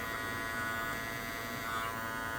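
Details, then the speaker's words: Andis Master cordless clipper after molding the cover lid to remove vibration: even, high-pitched buzz with no rattle or chatter from the housing. It runs smooth and quiet. "so there you go how to make these a little quieter get the vibration out"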